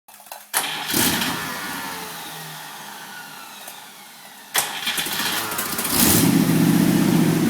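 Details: 1949 Cadillac 331 V8 in a '32 Ford roadster, first start after rebuild: brief crank that catches and settles, then after changing a couple of plug wires it lights off cleanly and blips into a strong, even idle. Normal startup.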